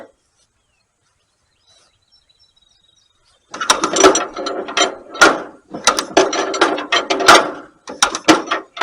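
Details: 1938 Allis Chalmers B tractor with rare Waukesha engine, just bought, fuel on, full choke: uneven ratcheting hand-cranking bursts with no firing; won't start, magneto timing set far too advanced, mag likely needs overhaul.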